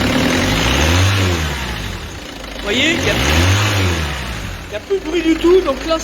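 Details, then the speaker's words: Peugeot 206 2.0 HDi 90 diesel after correcting overtight timing belt tension: two clean rev blips rising and falling smoothly with no belt whine, only faint high-pressure pump hiss; engine sounds normal after repair. "ce petit bruit là c'est juste la montée en pression de la pompe HP mais je veux dire il y a plus de bruit de surtension de courroie d'ici"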